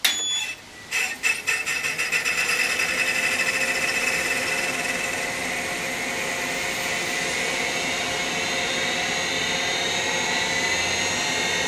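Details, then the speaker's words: Compaq DeskPro 286 power-on, Seagate ST-251 hard drive: clattering ticks then rising whine into harsh rough spin; noisy but spins up, sound described as telltale of an ST-251. "well that didn't sound great but it did at least spin up you can hear again that is a Telltale sound of an st 251"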